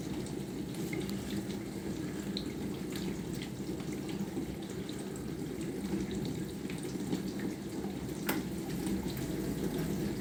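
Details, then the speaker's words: Bosch SMV50E10RU/D5 (Type SD6P1B) dishwasher, complaint hums and won't start, test on short "glasses" program: steady water spray over low even pump hum as recirculation ramps up, water topping up, pressure rising; pressure decent, no errors shown, so normal wash cycle. "обороты доливает вода параллельно доливается увеличивается давление все равно входит в режим давление неплохое Ну по крайней мере ошибок никаких наблюдаем"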